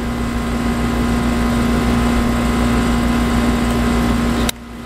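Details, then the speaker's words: Briggs & Stratton 8 kW tri-fuel generator running on propane under heavy load starting an AC unit: steady even drone, constant hum, no misses or surging, much smoother than on gasoline, which needs a carburetor jet change; smooth running under load. "listen to the motor [Music] underload much smoother much much smoother"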